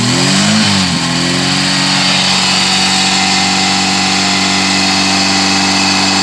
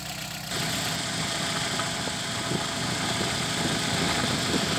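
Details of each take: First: VW G1 carburetted AP engine, after fixing low fuel pressure: a short rev drops back to a smooth, steady idle with no stumble or surge; fuel pressure much better than before. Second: VW G1 with carburetted AP engine: uneven, hunting idle with slight stumbles; pump fuel pressure practically zero, starving the engine, which had stalled repeatedly on the drive to the shop.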